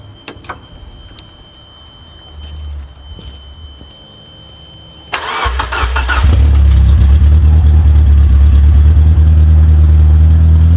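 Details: 2004 Honda Accord K24 with 6-speed manual, on a makeshift fuel setup with the fuel pump wired to power after back-bleeding the line: quiet, then a short crank before it catches at about six seconds and settles into a steady, even low rumble. It spat coolant.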